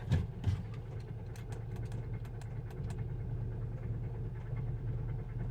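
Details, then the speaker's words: Auction Audi A3 hatchback, non-runner, 197,580 km, long sat: after rough start, low idle with loose irregular metallic ticks and clatter; owner suspects blown engine, possibly oil pump or turbo. "the call girl sounds like she's running on nuts and bolts this is going to be an adventure did you hear that she doesn't sound happy"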